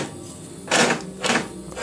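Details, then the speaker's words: Nautac lawnmower with Quantum XM engine, found in poor rusty condition: three quick rasping, rattling bursts as the cord is pulled, a noisy, faulty recoil starter catching and misbehaving. "ça c'est le bruit du lanceur qui déconne"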